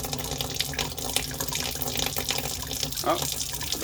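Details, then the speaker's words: Hot-water faucet after a water heater's temperature and pressure relief valve was replaced and the system refilled: a steady hiss of water broken by spitting, gurgling bursts as trapped air and sediment push out of the line. Normal purging. "what's going to happen is when i start putting water back into the system you're going to hear a bunch of air coming out of here so just bear with me"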